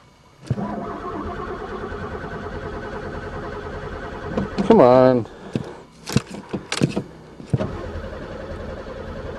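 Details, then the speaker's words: Pontiac unstarted for 3 years, accelerator freshly unstuck: starter churns steadily for about four seconds but never catches; owner suspects no spark, possibly chewed wires or broken fuel lines. "don't tell me this one's got no spark too there even gas dumped in it um this ain't a good day definitely"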